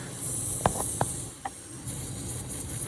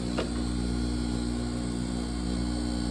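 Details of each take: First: Manitowoc ice machine not making ice: constant high airy hiss of refrigerant escaping at a factory weld, found by sound and oil after giving up on the sniffer; pressure strong enough to blow it off. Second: Manitowoc ice machine during harvest, hot gas entering the plate: steady low hum with a fast even pulse about four per second, the air pump pushing a thin layer of air behind the ice; normal harvest.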